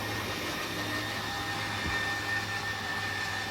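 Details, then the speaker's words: 2022 Forest River Salem Hemisphere Elite 36FL RV, slide-out extending: a steady electric motor whir and hum with no grinding or straining; the motor stops once the slide is fully extended. Normal operation. "watch the slide out it's going to do the same thing once that motor hits the wall it's gonna stop just like that and that is fully extended"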